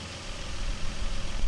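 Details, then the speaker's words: 2015 Nissan Frontier petrol V6, close to 200,000 miles, after replacing cylinder 5 coil pack (code P0305) and all spark plugs: low steady idle hum with no misfire stumble, ending in a thump; runs smooth again. "so anyway, it's back together and it runs nicely. It's very smooth uh, like it was before the rat."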